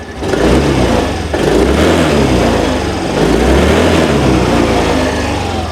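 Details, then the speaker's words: 2020 Yamaha Grand Filano Hybrid ABS scooter, 10,000 km, single owner: quiet steady idle without white smoke, then revs swell smoothly up and down with no misses or knocks; revs normally. "ดูจากตอนที่บิดด้านบนบ้างอ่าก็คือบิดได้ปกติเลยนะครับผม"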